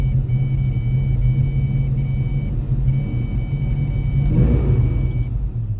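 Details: 1993 Ford Mustang LX convertible 5.0 V8, 5-speed, new plugs, wires and distributor, timing set: throttle held steady but uneven lumpy firing with a surge near the end, won't hold; misfiring badly under light load.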